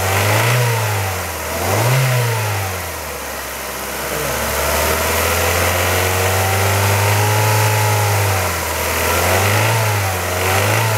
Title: Kia Ceed 1.6L G4FC engine rattle noise warm engine